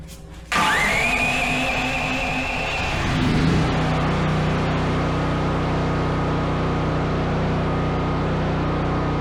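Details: New Duromax 13000 generator that backfired out of the box, after installing NGK BPR6EIX iridium spark plug: quick pull-over, clean catch, revs settle to an even steady drone with no pops or bangs; plug fixed the backfiring.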